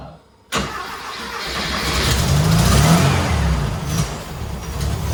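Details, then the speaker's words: Turbo rat rod Porsche 930 on a new carb, sat unrun for months, after two hours of tuning: fires abruptly, then rough lumpy idle that sags and surges; fuel pump maxed out, owner suspects fuel starvation and a weak pump. Hard start and poor idle. "okay so i've been tuning this damn thing for about two hours i got it where it's starting it's just not idling very much i think we need a better fuel pump"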